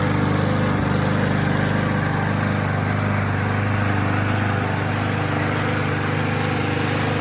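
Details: Bolens (MTD-built) walk-behind mower after tune-up, carburetor diaphragm gasket and valve cover reseal, RPM adjusted down, warming up for oil leak check: steady even buzzing drone, constant beat, no misses or knocks; normal running.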